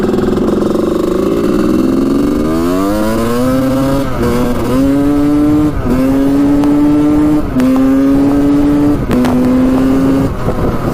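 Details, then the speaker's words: 1986 Honda CR250 two-stroke on its first ride after repairs. Full throttle in first gear: revs climb lazily and flatten, boggy on the bottom end in first and second, opening up in third; it also breaks up around quarter to three-quarter throttle, cause unknown. "i'm gonna gun it right here in first gear it really opens up in third gear but in first and second it's boggy on the bottom end there"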